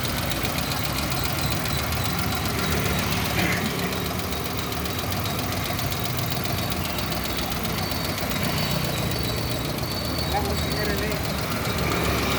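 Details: Suzuki Alto engine idling with an uneven knocking tick, about three or four per second, over the running hum; source not pinned down, engine knock suspected but not confirmed.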